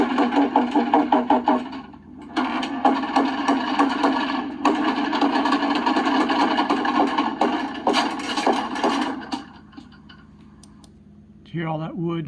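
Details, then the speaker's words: 2004 Country Coach motorhome with HWH slide-out system: continuous rough grinding, cracking and irregular chatter as the slide comes in while not level; the room is off its track and chewing the wood floor. "oh that's the sound of bringing an RV slide in when it's not level"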